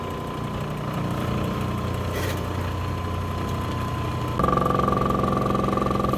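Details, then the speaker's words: Cab King 8-inch lapidary machine with new Hans Lapidary 8x1x2 Diamond Nova resin soft wheels: motor hum with steady throb, three to four pulses a second, worsening; new wheels wobble, old ones didn't; owner guesses heat wave. "notice as the machine slows down you can really see how the new wheels are wobbling"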